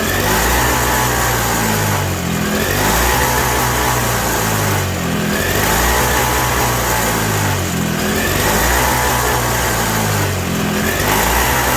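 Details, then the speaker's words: 1987 Toro CCR 2000 snowblower two-stroke, cold, with a newly fitted replacement carb; a thin surging note hunting every couple of seconds, running only on choke. Lean fuelling, and turning the jet in or out does nothing. "Yeah, running real lean. It only runs on choke. I'm turning the jet in and nothing."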